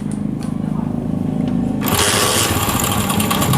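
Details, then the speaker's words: Honda CD70 Euro2, cold start after standing overnight, magneto side cover off: even idle, then a harsh metallic clatter; timing chain rattle that fades after a few revs once oil circulates. "ये देखि कितनी खतरनाक किस्म की आवाज आ रही है जैसे इसमें टाइमिंग चैन इसकी खत्म हो गई है या इसके अंदर यल ही नहीं है या ऑयल इसका चल ही नहीं रहा है"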